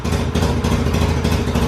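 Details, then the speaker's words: 2005 Polaris Sportsman 700: loud choppy uneven idle that sometimes smooths out; owner suspects over-injection and plans new exhaust gaskets, cause unconfirmed; rough idle. "and then it has a choppy idol like this but you'll hear it smooth out at some points like right now it's chopped like chop chop chop chop chop chop chop"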